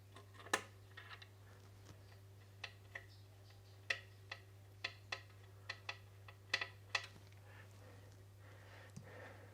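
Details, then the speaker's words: Wahoo Kickr trainer that made a strange noise, after a clean out and a spacer washer added, belt thought to have been rubbing: steady low flywheel hum, only a few light stray clicks, no rubbing; running smoothly. "Okay, that sounds beautiful."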